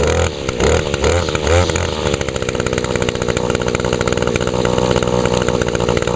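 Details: Older Echo SRM 2201 trimmer, 21.2cc two-stroke, started on choke after priming the bulb under the carburetor. Steady high idle buzz, firing evenly with no stumbles or dropouts: normal running, started well and stayed running.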